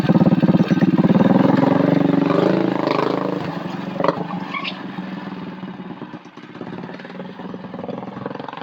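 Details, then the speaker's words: Coleman CT200U-EX trike, single-cylinder engine with stage one kit (new intake, exhaust pipe and muffler), exhaust newly supported: even thump winds down to a steady idle, throaty, popping and sputtering gone; normal running with muffler. "I think that exhaust sounds pretty good. It's kind of throaty, but it took the popping and sputtering o"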